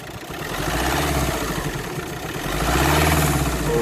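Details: Volkswagen Crafter van, 2.0 16-valve diesel: a heavy thudding knock over the diesel rattle, rising when the throttle is blipped. The oil is an odd jade green colour; a timing problem is possible.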